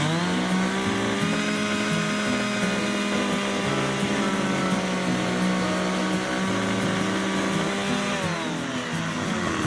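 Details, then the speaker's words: McCulloch 610 chainsaw after a carb cleaning and final high-speed needle adjustment, set slightly rich of the lean sputter: a steady, high wail at full throttle holding even with no breakup; ready to go. "so there you go my McCulloch 610 is ready to go"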